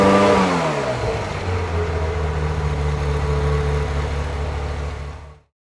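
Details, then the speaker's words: 1994 Euro-spec Ferrari F355 GTS, 80,000 miles, Capristo exhaust and high-flow cats, revved to 3,000 rpm for the higher emissions test: brief rev then steady, even running that clears out with no misses or stumble; runs rich at idle. "And then once I rev the car up to 3,000 RPM for the higher emissions test, you can hear it clear out and clean up and run pretty good."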